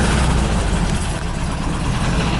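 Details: 1979 VW bus air-cooled flat four with twin 44 carbs, big heads, Scat 35 cam, 2100 kit, J-pipes and electronic ignition, started after sitting a week, settles into a steady, even, low chuffing idle with no stumbling or knocking, running smoothly.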